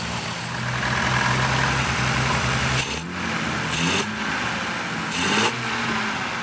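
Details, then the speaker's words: 1962 Austin Healey 3000 BT7 after a mouse-damaged engine was reassembled and the head and carburetors rebuilt. Carbs synchronized, air cleaners not yet fitted; steady, even idle with throttle blips that rise and settle cleanly. Normal idle. "that's sounding pretty good now the air cleaners are going to change the mixture again slightly so i'll need to get those mounted up and check everything over again"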